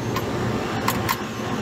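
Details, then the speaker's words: Three-phase compressor unloader solenoid energized at 22–23 V: two crisp metallic clicks a fraction of a second apart over a steady running hum; solenoid switching normally. "you can hear the solenoid changing 23 22 volts so it is energizing so we are getting the power down here"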